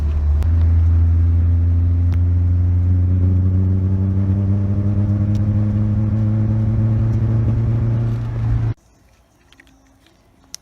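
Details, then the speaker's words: Nissan KA24DE petrol four-cylinder idling with a deep, lumpy, uneven beat from a bad steady misfire, then shutting off; leaking, torn fuel injector seals diagnosed as the cause, a spark plug also replaced. "Alright guys, it's actually misfiring pretty bad. I'm gonna see if you guys can hear it, so you guys get an idea of what I've been dealing with."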